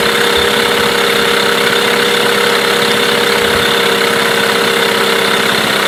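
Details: Mercury 8HP outboard, bought used after sitting unknown time, first start test in a water tub after carb cleaner; steady even buzzing idle with constant mid-pitched drone, no misses or knocks; running cleanly, normal idle.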